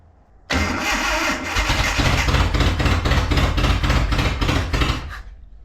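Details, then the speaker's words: Datsun 720 4x4 King Cab engine revived after sitting about 20 years, carburettor rebuilt: lumpy uneven idle with irregular beats, timing marks not lining up and throttle barely responding; timing had jumped, still runs rough. "it definitely jump time we solved that we're not getting it to run any better"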